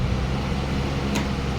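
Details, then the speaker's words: Symphony air cooler fan motor after rewiring with 2 rotary switches, first run: steady low hum, even unbroken drone, no rubbing or rattle; normal fan motor run. "तो सबसे पहले हम motor को चालू करते हैं। तो मोटर चल पड़ा है, देखिए"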